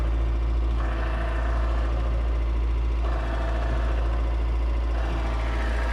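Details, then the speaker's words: 1983 Toyota pickup, cold start: steady low petrol idle with a faint whirring hum rising in patches. The hum goes away when the clutch is depressed, so the owner suspects a worn throwout bearing. "And you can hear that throwout bearing, because when I depress the clutch, it goes away. That's cold start. And again, that throwout bearing, you can hear it."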